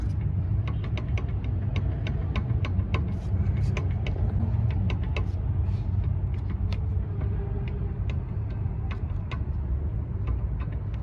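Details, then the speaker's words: 2004 Toyota Camry 3.0L 1MZ-FE V6 while driving: irregular light clicks and clunks over low road rumble from the rear, where a brake caliper held by only one bolt rattles in its bracket; new rear pads to be tried. "I could hear it, but there's like a bunch of knocking, clunking noise in the back. We got to take care of that."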